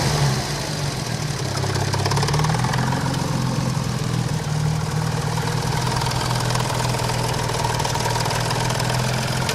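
A steady, even engine drone with a faint, fast tapping running under it throughout; knocking is present, but its cause is unclear.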